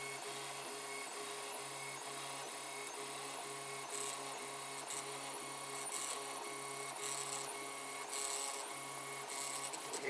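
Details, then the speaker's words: 3D printer running mid-print about 7h41m in: steady hum with a faint pulsing buzz and constant tones over motor chatter. Unidentified noise, thought to be the fans. "noise i'm not sure what that is I think it must be famines and everything"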